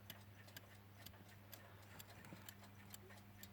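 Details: Metamec mantel clock after cleaning, case polishing and reassembly: crisp, even ticks about twice a second over a low mains hum; the movement runs steadily and sounds healthy.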